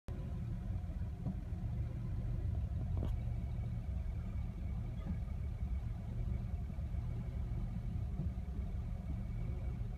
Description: My Mercedes W116 (1975 280S) is close to stalling and idling roughly when the engine is warm.